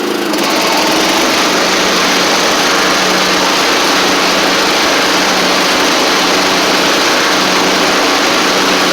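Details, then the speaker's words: John Deere LT150 mower running with deck engaged, steady even buzz, no popping or open-pipe bark; much quieter after exhaust refitted with gasket and nuts from a parts engine (it had no exhaust before); normal running. "Oh man, it's so much quieter. That thing had no exhaust on it when I got it from the guy."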